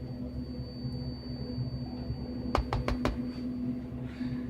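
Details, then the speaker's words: ViewSonic 22-inch CRT monitor under repair for a very dark picture, at switch-on after adjusting internal knobs: four sharp quick ticks over a faint steady high whine, a new noise never heard before; cause unknown. "Never made that sound before."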